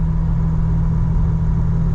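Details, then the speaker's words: Jeep Wrangler TJ after replacing leaky Flowmaster FlowFX with fully welded exhaust and Thrush muffler: idle after start, steady deep even rumble, no ticking or puffing; exhaust sealed, no leak, quieter at idle. "whenever it starts up uh it sounds better because of there's no exhaust leak"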